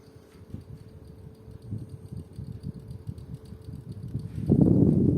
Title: Toshiba Shorai Edge (10000 BTU) indoor unit "clicking" noise